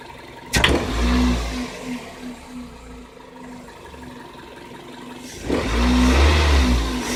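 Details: Engine knock: a single small metallic tick from the engine area on each sharp throttle blip as revs snap up; 26,000 km on Denso iridium plugs, Shell 0W-40 oil at 6,000 km, AI-92 fuel from an unverified station, −53 °C frost; cause unclear.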